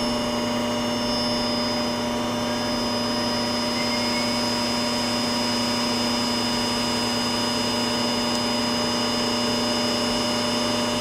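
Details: IMC Magnetics 400Hz vaneaxial aircraft fan, powered at about 100 volts and not yet at full speed: steady rushing airflow, constant high whine and fixed hum, spinning evenly; normal running.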